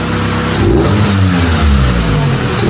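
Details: Honda Civic VTi that badly misfired and stalled with the AC on, now revved after fixing: spark plugs replaced, settings adjusted, electrical troubleshooting and ECU check. Clean, even rise and fall through several revs, no stumble or popping; healthy.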